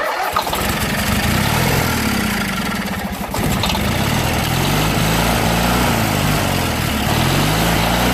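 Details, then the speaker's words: Junkyard Briggs & Stratton opposed twin just reassembled with valves corrected, run on ether with no fuel hooked up, smoking from ether and oil; runs rough and loud, speed surging up at idle; governor suspected not right, unconfirmed. "but I don't think the governor is quite right because it's idle right now and it's trying to rev out"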